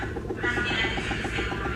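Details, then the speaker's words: LG top-load automatic washing machine in spin/dry: loud rough grinding roar with rapid rhythmic knock from a worn gearbox, fixed by replacing the gearbox. "Sobrang ingay kapag nag-dryer siya guys no. So kapag ganito guys ang washing machine niyo, ayan ang problema niyan guys ay gearbox no."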